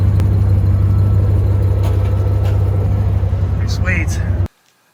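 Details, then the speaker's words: 1997 Jeep Grand Cherokee Limited ZJ after new California-spec catalytic converter (old one rattled with loose debris) and Magnaflow muffler: deep even exhaust rumble at steady idle, no rattles or ticks, then shut off; normal exhaust note. "so let's fire it up and see what it sounds like oh man that's nice sounds great"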